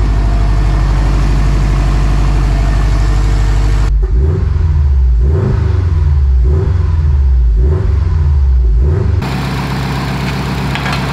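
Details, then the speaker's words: Freshly rebuilt turbocharged Subaru STI engine on first run, water instead of coolant, warmed to operating temperature: deep even note with several clean break-in revs rising and falling smoothly, no knocks or ticks; healthy. "oh man that is a good feeling she got up to operating temp just fine we did a few revs that's how i like to break it in a little bit"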